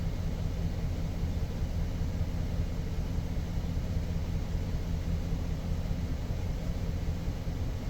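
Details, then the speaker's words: 2007 GMC Sierra idling with low rumble and uneven stumbling pulse from a persistent misfire, reported on cylinder 3 though possibly cylinder 4 misattributed; plugs and wires already tried, number four coil swapped to position two. "so we still have our misfire I've done the plugs I've swapped the number four coil to position two and I tried the wires as well"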